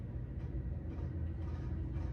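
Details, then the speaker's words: 52-inch Harbor Breeze Avian ceiling fan running at its only available speed (remote missing): a loud, steady, deep low rumble with no whine; cause unclear. "It works. It's making a low noise. You I don't know you can hear it, but it's loud. It's noisy."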